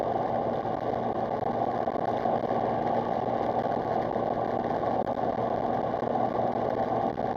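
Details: Engine running after repairs that replaced badly corroded coil packs, on a gentle drive testing for misfire: a quiet, even hum with a steady pitch and no stumbles or skipped beats, firing cleanly with no misfire.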